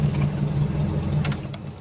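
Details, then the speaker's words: Toyota Kijang 7K engine running on the mechanic's own known-good emission control module, for comparison with the customer's module, which would not let the engine idle. A low, steady idle rumble with no knocks, misses or hunting, which is a normal idle. "nah sedangkan jika pakai modul punya saya mobil biasa"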